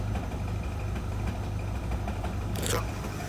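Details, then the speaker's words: Hot rod Model A coupe, long stored, just fired with loose flopping alternator belt: rough heavy low rumble at idle with shaky uneven vibration and a brief chirp; mechanical racket, cause unknown. "what is that racket something makes like a racket those things running at idle something's vibrating and that belt still flops around a lot the hell is that noise there some kind of mechanical noise I don't know what it is"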